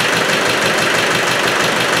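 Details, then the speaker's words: Land Rover Spanish 110 engine, freshly rebored and reinstalled, first start-up: loud hissy chuffing and heavy blow-by with oil pushing from the breather and smoke; owner suspects a ring broken during installation. "it's got too much back pressure and i don't know why whether i broke a ring putting it in or not but observe the breather that's not right and it's pushing oil out"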